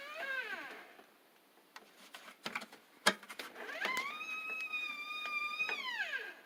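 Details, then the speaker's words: LG WT1501CW direct-drive washer, under two years old, drum turned by hand with clothes loaded and not running: squeals that glide upward and fall away with clunks between; extra weight seems to worsen it. Drum squeak, cause unconfirmed. "So when you turn the drum, hear the squeaking? Let's put some pressure on it. Whoops. I put some clothes in. I think the weight helps make the squeak."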